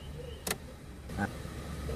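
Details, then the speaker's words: Suzuki Karimun kotak after the carburetor idle and idle-AC screws were readjusted following disassembly: low, even idle with light clicks and no hunting, staying stable with the headlights on and with the AC off; normal idle. "Hai AC dinyalakan otomatis RPM naik itu wajar kemudian AC dimatikan pun diatur stabilnya lampu dinyalakan pun stabil nah stabil Bro"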